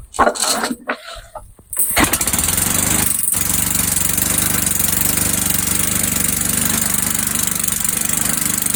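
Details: Old Sears Craftsman Eager 1 mower with Tecumseh engine, air filter just installed, smoking off; a few pulls, then it catches and settles into a loud, steady, even run with no misses or knocks, healthy.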